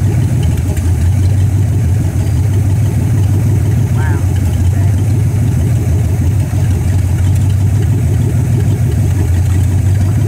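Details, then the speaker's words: 1964 Dodge Polara 500 V8, parked since 1978, after five months of work (new heater core, radiator repaired, choke not yet set), warming up cold before driveway test: deep, even rumble holding steady idle ten seconds, no misses or knocks; normal cold idle. "right now we are going to fire it up warm it up and when it's warmed up we're going to put it on the ground and we'll move it around"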